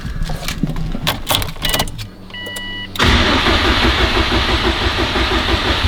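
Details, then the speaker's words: Subaru WRX STI after freeing the alternator cover that had caught in the serpentine belt: starter cranks, chimes sound, then the engine catches and settles into a steady, even idle with no belt squeal or slapping; sounds much better. "Sounds much better this time."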